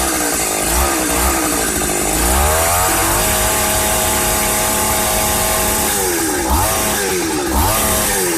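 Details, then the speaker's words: 1995 Ardisam Earthquake 8900 auger two-stroke engine, first-pull cold start in the evening: clean steady buzz picking up smoothly as throttle opens with no misses; running healthy after repair. "Awesome. First pull. This Ardisam Earthquake-Auger is ready to rock."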